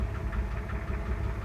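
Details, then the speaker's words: 1966 Ford F100 idling after choke pushed in: low idle with a quick regular tapping knock roughly five or six per second; engine knock, source unknown. "Hey, well, it's alright. But you can hear the knock."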